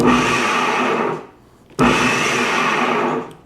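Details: Used Snow Joe electric snowblower that quit after 15 minutes and whose impeller sometimes fails to start (loose connection suspected): smooth, even high electric whir that spins up cleanly in two short runs and winds down; the motor sounds healthy here.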